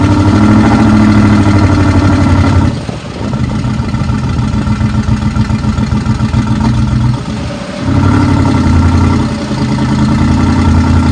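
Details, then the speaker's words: 2009 Ford F-250 XL V8, 55,000 miles, steady misfire, sat unrepaired, jump-started: rough stumbling and surging when revved, shaking hard, won't rev past 1,500 rpm however hard accelerated; little explosions heard. "I'm going to rev it up so you could hear it"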